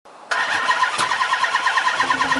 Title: No Start